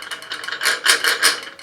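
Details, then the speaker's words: Rockwell Beaver table saw motor running: uneven tinny rattle in quick bursts from the internal cooling fan. "next up I think we're gonna take a look at the motor see now you can hear the rattling fan inside it"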